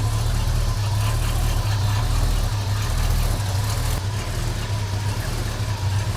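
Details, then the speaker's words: 1989 Chevrolet S10 V8 with 2.5-inch exhaust through two mufflers, idling about 600 rpm: deep, quiet, steady rumble with no knocks. Running a bit rich, possibly from bad fuel. "She's pretty quiet. It's actually 2.5-inch exhaust run all the way out the back through 2 mufflers."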